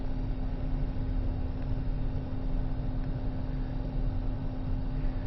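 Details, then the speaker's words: Original Xbox console on power-up test before opening: steady, fairly loud cooling-fan whir with a low hum, no rattles or clicks; suspected to need fresh thermal paste and possibly a clock capacitor, not confirmed. "and it is a little bit loud so what I may end up doing is opening it up and replacing the thermal paste inside"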